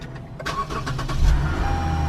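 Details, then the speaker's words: Lexus GS350 F Sport started right after replacing the spark plugs: the starter whirs briefly, then the engine catches cleanly and settles into a steady, even idle with no misses. A healthy start. "Oh yeah, I'm ready to rock and roll. Sounds like a beast."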